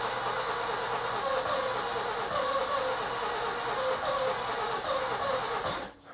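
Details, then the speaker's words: Nissan Micra K11 that won't start, first attempt after arrival, fuel pump heard: starter spins it fast and evenly for six seconds, trying to catch but never running; some firing smelled at exhaust; flooded engine with fouled plugs. "It's actually trying. Okay, so it spins pretty fast. It is trying to catch, but it doesn't really want to go."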